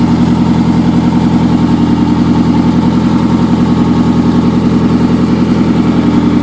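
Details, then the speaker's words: 2003 Camry first start after an engine swap: a steady idle with a loud, raspy puffing tick in step with the firing from an exhaust leak at the bad flex coupler. The engine itself is quiet, with no valve noise or knock; exhaust leak. "the noise that you're hearing in the video is the leak at this at this blessed coupler right here this is all exhaust noise that motor is really really quiet"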